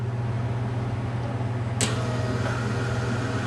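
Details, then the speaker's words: Les Smoot 4A084 military generator engine converted for aircraft use with fuel injection; prop pulled through once with ignition off, priming system on; one sharp snap-like click over a steady low hum as the injectors fire a single normal priming shot. "that that was the injectors fire and I gave it one shot fuel"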